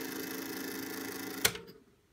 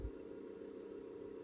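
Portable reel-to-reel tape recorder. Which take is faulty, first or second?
second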